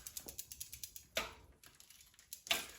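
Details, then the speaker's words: Schwinn Continental during restoration, rear derailleur shifting while the wheel turns forward: quick, even freewheel ratchet ticking with sharper clicks as the chain drops to low gear; shifting works fine. "So this is all the way down. See how far over we can go. Got low gear. So that's pretty good."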